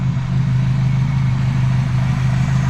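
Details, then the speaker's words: 1972 Ford Pinto with restored Motorcraft carburetor, mixture screw out 2.5 turns: deep, smooth, even idle, steady low drone, no misses or ticks; idles just about perfect. "I mean, that's the way a carburetor's supposed to work, y'all. Pulled it 2.5 out and shouldn't be screaming because it's not loud. I mean, that's idled just about perfect."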